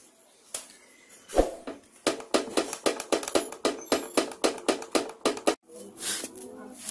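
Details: Stabilizer bar rocked by hand, bushing showing some play on both sides: a dozen sharp hollow clunks, about one a second; worn, loose stabilizer bar bushing, a cheap part behind hard-to-find suspension clunks.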